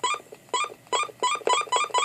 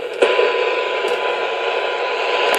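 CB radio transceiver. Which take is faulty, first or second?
second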